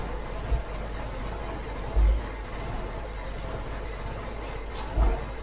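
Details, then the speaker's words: Ford MK3 Cortina with newly installed Pinto engine, first start before idle adjustment: low, rough idle nearly stalling, needing throttle blips to keep running. "Need a little bit of throttle. Thought we might lose it though, just before I could get to the idle adjustment and fire it up."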